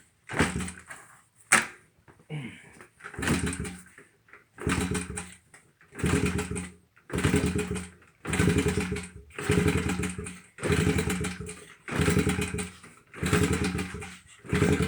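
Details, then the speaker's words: 2001 Honda XR70R dirt bike, after the stator and stator plate were replaced, kick-started: the small single revs in regular bursts about once a second and drops back, with no knock or misfire; normal running. "i don't think you're gonna be able to see much but that doesn't run too bad"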